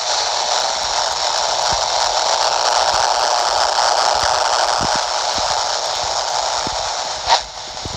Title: Wideband Noise RFI 26 MHz / 27 MHz - CB DX Channel 5 / 9 - 27.015 MHz 27.065 MHz Buzzing Noise QRM